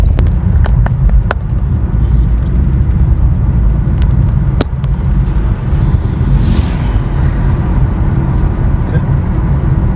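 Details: 2013 Chevrolet Aveo road test in bends and under braking after replacing damaged rear double wheel bearings, which previously made noise and a soft squeal: steady low road rumble inside the car, no squeal or grinding from the rear wheels.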